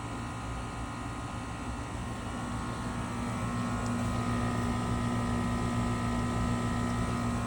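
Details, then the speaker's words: New Trane 5TTR5 single-stage condenser (5TTR5048A1000A) replacing a 20-year-old builder-grade unit; steady even hum with smooth fan whoosh, no rattles, measured around 70 dB, 10 dB quieter than the old unit's 80 dB; normal condenser operation. "Right around 70 dB. That's 10 dB quieter here. This is much more like your dishwasher running as opposed to 80 dB being like a police siren."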